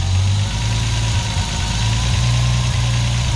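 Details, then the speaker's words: Newly built TB42 turbo engine idling around 1,000 rpm after valve clearance adjustment: steady, even, quiet valvetrain with no ticking or clatter; normal idle. "So you can't rev it too hard because the oil bloody pitches everywhere, but it's still awesome, nice and quiet now."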